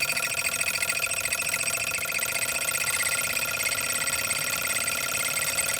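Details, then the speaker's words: Single-cylinder Stirling engine generator kit from stirlingkit, trying to charge a salvaged battery: a thin, high-pitched squeak repeats steadily over light running; owner thinks it could be lubricated, cause unconfirmed. "one last test let's see if we can charge up that battery that we salvaged on a previous video you can hear it though it's so squeaky"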